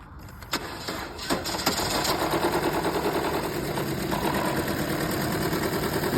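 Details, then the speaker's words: Chevrolet Cruze petrol engine with misfire codes and loss of power: starts and settles into a lumpy, uneven, stumbling idle; oil found getting in, with a valve cover gasket replacement planned. "Today's job is there is engine running rough misfire codes and plenty of other codes."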